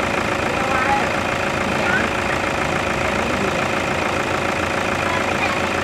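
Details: Toyota Fortuner diesel with black smoke at idle: a loose, uneven knocking clatter, roughly two knocks a second, rides over the steady run; engine knock, cause not pinned down.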